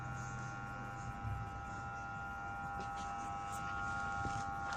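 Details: Chinese MUXCUT air compressor hums steadily but won't run: it started only when the fan was spun, then stalled at 2 atm while humming; the 25 µF 450 V start capacitor failed.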